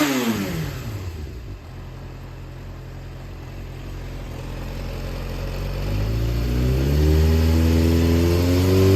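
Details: Yamaha XJR400 (4HM) working engine assembly, no abnormal noise or white smoke, compression tested: smooth, even four-cylinder note rising cleanly through the revs and settling, no knocks, ticks or rattles; normal running and revving.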